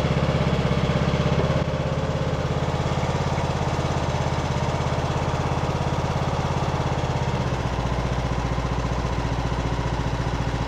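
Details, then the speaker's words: Craftsman LT2000 riding mower, almost 20 years old, new carburetor, temporary air filter, warming the oil before an oil change: even single-cylinder chugging at a slightly low idle that holds steady. It runs great, though the idle may need adjusting. "can hear it now it's running running great may have to adjust the idle a little"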